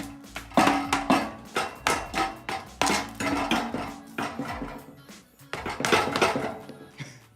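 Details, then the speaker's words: Nissan 370Z stock muffler, removed and shaken by hand; loose metallic jingling in uneven bursts, the same rattle heard while driving everywhere; internal muffler rattle, being replaced with a NISMO exhaust. "that jingling? That's what I was hearing driving around everywhere. So it was the muffler."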